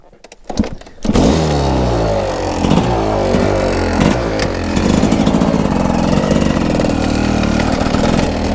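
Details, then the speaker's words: GasGas two-stroke motorcycle after a valve-opening-system screw fell into the bottom end and was ground up: sharp knocks about every second while riding in first gear only, fine in second; owner suspects damaged first-gear pinion. "je vais vous montrer ça en roulant j'espère vous l'entendrez bien c'est juste en première ça tape ça fait papa voilà"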